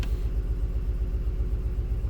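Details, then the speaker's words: Cadillac Escalade 6.0L LQ9 V8 with P0300 random misfire, plugs, wires and coil swap not fixing it; lumpy uneven idle rumble stumbling, misfires on cylinders 2 and 6. "so let me start it you hear it runs like absolute dog crap here we go cylinder 2 and cylinder"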